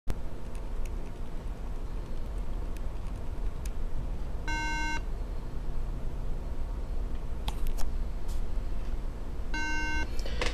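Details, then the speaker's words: MacBook Pro at power-on, won't turn on: buzzy half-second beep repeating about every five seconds over low hum; memory (RAM) failure beep code. "that's the infamous beep sound when you turn on a Macbook that sometimes happens"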